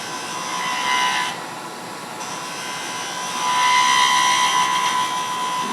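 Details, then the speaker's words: Wood lathe turning a thin wand spindle: cutting hiss with a faint wavering high whine that swells and fades as the tool bites. The workpiece is vibrating (chatter). "You get this vibration. Do what? You got vibration coming. Yeah. I hear it. And I don't worry too much about the vibration unless it makes it something terrible that I can't get rid of."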